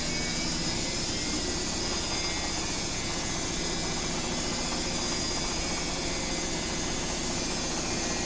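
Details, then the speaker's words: Owner's BWS24 top-loader, unlike the neighbour's Midea Healthguard that kept unbalancing: an even, steady whirring drone with no knocks or bangs. It moves but doesn't make the other machine's racket, and sounds healthy. "Mexe, mas não faz esse barulho todo que a outra fez."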